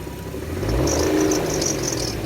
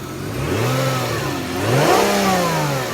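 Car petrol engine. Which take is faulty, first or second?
first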